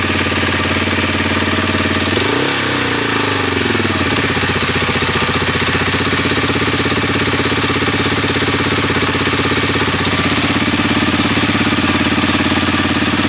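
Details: Suzuki DR-Z 250 K9 single-cylinder at idle: rapid hard ticking knock riding over a busy idle, steady throughout with a brief blip; engine knocking of unknown origin.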